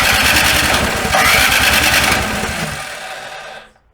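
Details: Snow blower engine at first start after summer storage: quick, even chugging about 2.5 per second that fades without catching, so it cranks but never fires. The owner says the carburetor's tiny jet holes clog in storage.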